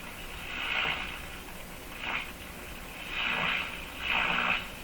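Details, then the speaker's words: Mohawk Model 1240 five-tube radio run at 116 V with its AVC capacitor removed: garbled reception with hissy swooshing surges about once a second while tuning, no stations received, like an open-circuit grid. "that sounds pretty normal hmm no that has a bit of a garbly sound to it"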